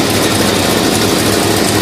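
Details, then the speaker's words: 1968 Plymouth Road Runner Chrysler big-block V8 with HEI distributor idling after new custom Fire Core spark plug wires fitted (old MSD coil wire reused); steady even idle with loud exhaust rush, no misses, heard out back; normal idle. "Motor looks like it's even idling pretty good. This is where it sounds good out back here."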